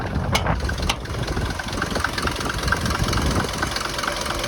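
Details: Mercedes T1 van, OM602.940 diesel, just rebuilt with a reworked head and driven since: steady idle with a light, regular tap over the diesel clatter; owner believes it is an injector tap, less smoky than before the rebuild.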